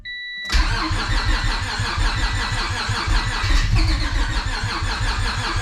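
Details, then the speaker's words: Honda Civic hatch with nitrous stroker V6 swap, first start attempt after loading base map tune onto new ECU, battery slowly dying: steady rapid cranking, engine trying to catch with throttle but never running; cranks, no start. Owner suspects base map. "I'm pretty sure I uploaded the tune to the ECU and now it kind of wants to start but it still won't start all the way definitely wants to start but it's not quite there yet"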